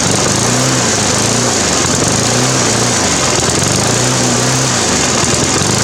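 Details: Briggs & Stratton 350 Classic lawn mower engine revs rising and falling about every 1.5 seconds, steady hunting even after fitting missing governor springs and a new carb diaphragm and gasket; cause is a big crack in the fuel tank where the carburetor joins.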